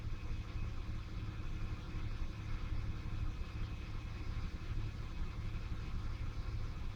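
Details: 1996 Ford Falcon EF 4.0L inline six: low idle faltering with uneven beats in P, N or D; smooth under load, compression in spec, no vacuum leaks. Intermittent idle misfire and stumble.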